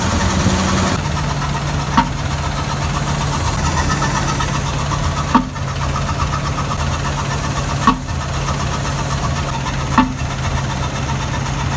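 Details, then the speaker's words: 2014 Ford F-250 Super Duty 6.2 V8 idling with the air filter box open, sharp pops spitting back through the intake every two to three seconds: a multiple-cylinder misfire later traced to a broken exhaust valve spring. "right so it's pretty evident that the the noise that we're hearing is up back popping through the intake here so we definitely have a pretty bad misfire"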